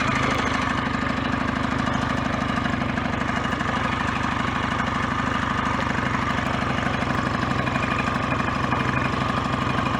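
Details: BSA A10 Super Rocket 650 twin idling off choke after carburettor fix (dirty throttle-slide needle cleaned, raised from lowest to middle groove); even steady thump about three beats a second, no misfire or hunting, running properly.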